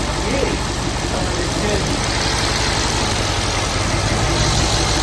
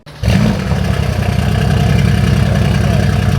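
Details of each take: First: Mercedes-AMG C63S (W205) damaged rebuild, first start after unlocking the ECU: strong even V8 note holds steady with no misses or knocks; idling smoothly and healthy. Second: Mercedes W205 C63S AMG: catches and settles into uneven stumbling beat with clattery pulse, running very weirdly: misfire from intake air leak.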